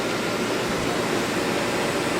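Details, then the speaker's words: Early-1960s Philco Noiseless window air conditioner during restoration: soft, even, steady compressor hum, nearly inaudible, no rattles, squeaks or ringing, frost forming on coil; normal compressor running. "this is a nice even compressor this compressor you can hardly hear it"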